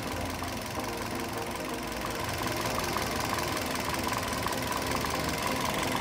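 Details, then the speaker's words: Toyota Yaris (Bakpao) idle after replacing a weak/dead ignition coil that caused misfiring and stumbling; steady, even rhythm, all cylinders firing, engine now settled and smooth. "Ya udah teman-teman sudah kita ganti koilnya ya jadi lebih stabil kita kalau sudah ganti seperti ini kita baut lagi nah ini sudah anteng"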